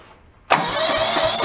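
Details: John Deere 160 lawn tractor rescued free from roadside, after engine, electrical, fuel line and gas tank work, weak battery with jump pack: brief quiet, then catches at once into an even steady idle with no misses; starts and runs normally.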